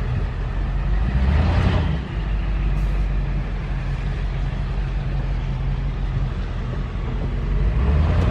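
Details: Dually diesel truck at idle just after straight-piping the exhaust. Deep, loud open-pipe rumble with a steady, even beat and no miss: normal idle. Owner suspects a slight misfire only when revved, possibly causing smoke.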